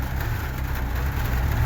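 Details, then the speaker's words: VAZ (Lada) engine idling after a valve clearance adjustment from about 0.2–0.25 mm to 0.15 mm: soft, even low idle with no top-end ticking, much quieter and smoother than before. Normal idle. "Ну і працює, звісно, прям, ну, набагато тихіше, приємніше."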